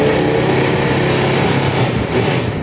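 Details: Honda Click 150 scooter engine, in a starter relay problem repair: small engine buzzing steadily at a fast, even pace with no stumbling or misfires; it starts and keeps running cleanly.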